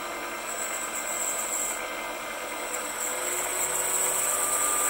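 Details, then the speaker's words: Precision Matthews PM-728V-T mill spindle at max rpm (4375) with quill fully extended: smooth, steady high-speed whir, no knocks, rattles or wobble, reasonable vibration, well balanced; normal spindle running. "max rpm fully extended quill sounds pretty good the vibrations they are reasonable so this thing is well balanced"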